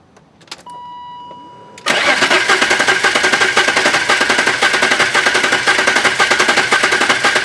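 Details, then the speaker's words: BMW M3 revived after four years abandoned, about 30 miles after restart, cranking for a compression test with the fuel pump fuse pulled: an even, steady rhythm near two beats per second with no drag; the cylinder reaches 180 psi, up from about 90. "All right, we've already pulled the fuse for the fuel pump. Go ahead, Joey, and crank it over."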